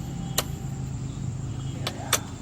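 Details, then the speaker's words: Fuso Canter truck, 4M50 diesel, after fixing crank-no-start, trouble codes cleared with scan tool and check engine light gone; low steady rumble at idle with no misses or knocks, a few stray clicks, idle strong; normal idle. "Ayan guys nawala na iyung check engine niya oh goods na goods na yung Menor niya napaka yan oh sobrang lakas na niya"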